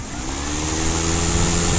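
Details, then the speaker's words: Husqvarna LC551iv 51cm professional battery mower, two batteries, eco mode at about half revs: steady even motor hum with high whine settling at reduced speed, no roughness or rattle; normal running. "And then put economy on, just hold the button, and that's the eco mode, just like half"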